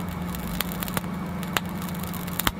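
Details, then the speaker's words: 3D printer printing with moist filament: tiny sharp pops break out irregularly over the steady hum as water turns to vapor and ejects from the nozzle; fix is drying the filament in a dehydrator. "you will hear tiny pops of the nozzle as the water becomes vapor and ejects out of the orifice"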